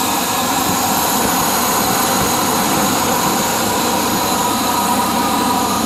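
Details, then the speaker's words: 1992 Ford F150 5.8L V8 after water pump replacement and coolant refill: steady, even engine roar with no knocks, ticks or squeals, only drips from spilled coolant; runs really nice. "a couple drips from where i spilled off the toilet but that she is almost fixed up runs really nice"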